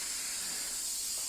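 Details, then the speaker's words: Dirt Devil Easy Steam Express II DDSTM1500 steam mop that produced no steam, after mineral build-up was removed from the heater; a strong, steady, unbroken hiss with no sputter or gurgle as steam and gunk blow out, now steaming normally. "Steam is coming out as well as all of this gunk. So I'm just gonna let that."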